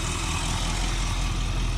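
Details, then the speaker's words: 1958 Chevy Biscayne hot rod V8 idling after distributor set and timing adjusted, idle raised slightly; deep, even burble with steady rhythm, no misses — running a lot smoother already, smooth idle. "running a lot smoother already yeah maybe me i touch the throttle"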